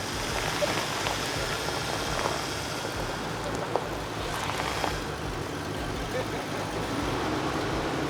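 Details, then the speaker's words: 1978 Ford Bronco started after a 10-year sit with new battery, fresh fuel and starter fluid: quiet, even low rumble with no knocks or misses; runs great. "Yeah, that runs great. Oh yeah! Up and running! Listen to that kitten purr."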